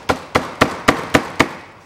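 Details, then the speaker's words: 2005 Toyota Passo steering rack, before replacement: six sharp metallic clunks, about four a second, as the shaft is pushed back and forth on one side; the other side is quiet. Worn, loose steering rack shaft with play. "здесь слышно вал не брякает а здесь слушайте вал"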